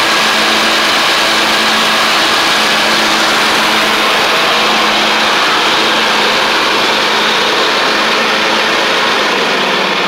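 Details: MTD Craftsman LT1500 riding mower with replacement engine, first run with blades on: loud, even drone with blades whirring, no misses or knocks; running strong and healthy.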